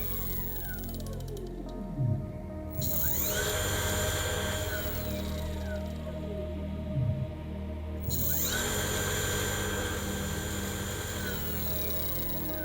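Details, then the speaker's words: Old car alternator converted to brushless motor, run from brushless controller at 55 volts up to maximum speed: smooth electric whine rises in pitch then holds a steady even tone, no rubbing or rattle; quiet, healthy running at full speed. "Nó có mô-men xoắn cao đến mức nếu chúng ta tăng tốc đột ngột, động cơ sẽ nhảy vọt. Nó rất yên tĩnh và rất mạnh mẽ."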